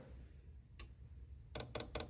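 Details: Chinese diesel parking heater after E-8 no-combustion error following power outage, seized dosing pump cleaned and tank washed of debris: crisp evenly spaced ticks about five a second after a click; pump pulsing normally.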